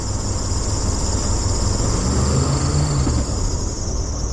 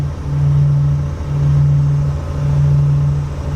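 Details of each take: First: Vintage RV engine on a cold winter start: steady high-pitched alternator belt squeal over a rough idle, which usually stops once warm; a chronic issue, and the owner may swap in a higher-amp alternator. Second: Vintage Allegro RV engine held at about 2,900–3,000 rpm, highway cruising speed, during a winter start-up: smooth low drone swelling and easing slowly; the alternator belt squeal has stopped.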